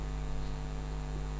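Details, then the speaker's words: Previously jammed air-cooler fan motor, test run after repair wired in series: steady, even low electrical hum with no scraping or stalling. The motor spins freely and turns in one direction; direction still to be checked against the fan blade. "तो देखिए दोस्तों, ये motor इस तरफ घूमने लगा है।"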